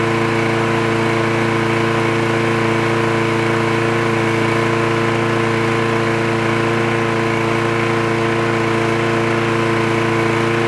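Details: Trash-picked free Craftsman push lawn mower with automatic choke, running after the spark plug wire was reconnected: the small engine holds a steady, even drone with no misses or surging; it runs clean and healthy.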